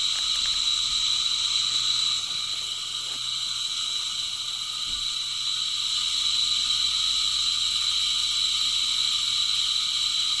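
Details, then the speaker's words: Heil-type furnace draft inducer motor running free without its squirrel cage, steady high-pitched whine and hiss from the worn front bearing on the scroll-cage side, the one subject to most heat; bearing being replaced. "this is the bearing that is subject to the most heat and that is the bearing that gave out and was making all the squealing noise"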